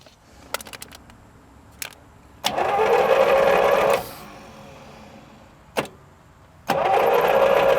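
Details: 1937 Buick Special straight-eight, neglected for decades, on a first start attempt with fuel added: two bursts of starter whirring that never catch; cranks but won't start, and it may not be getting enough fuel.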